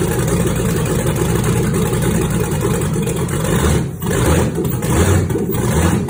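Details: 1962 Chevy C10 with 5.3 LS V8 swap, redone cams and 4L60E, first start after the engine sat built almost three years on a stand; lumpy, loping idle with a couple of throttle blips, running steadily; normal idle.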